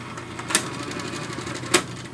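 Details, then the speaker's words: Wollensak T-524 mono reel-to-reel tape recorder, about 1963, under restoration, going into fast forward: dry, scratchy whirring with two sharp clicks; transport mechanism needs lubrication, drive belt also shot. "So now when I turn on the power here, you can hear, and it needs quite a bit of lubrication, goes into fast forward,"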